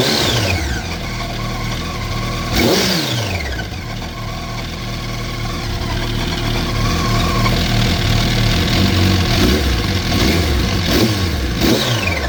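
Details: 2004 Yamaha R1 revving: busy, fast mechanical rattle over the exhaust as revs rise and fall; owner suspects the cam chain tensioner, not confirmed.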